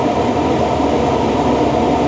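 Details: 2013 Tesla Model S P85 blower running on air conditioning after blower resistor and DC/DC converter replacement, vents down to 32 °F: steady, even rush of air at full speed, no ticking, scraping or whine; healthy.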